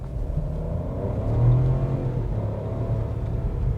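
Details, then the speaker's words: Chevrolet Tracker LT 1.0 turbo automatic, full-throttle launch from a stop: smooth, quiet pull, engine note rising evenly to about 5500 rpm, then a clean shift out of first gear; very quiet, well-insulated engine. Normal acceleration. "olha motor aqui foi até 5500 quando ele trocou a primeira marcha e não sei se vocês notaram como ele é muito silencioso"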